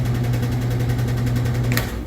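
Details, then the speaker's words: Older-style top-load washer (Whirlpool/Kenmore type) in spin: loud hum with occasional squeaking and rapid rubbing clicks, from the tub scraping its metal stand because of a missing tub wear pad. "you can kind of hear a squeaking or occasional squeaking followed by a clicking noise so overall machine is uh really loud and uh making this weird noise"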